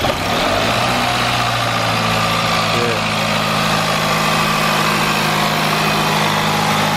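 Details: 2018 Jaguar XF 2.0 petrol after replacement of a stretched timing chain, the water pump and the turbo: smooth, even idle with a steady low hum and no knocks, ticks or misses; healthy, with no fault codes afterwards.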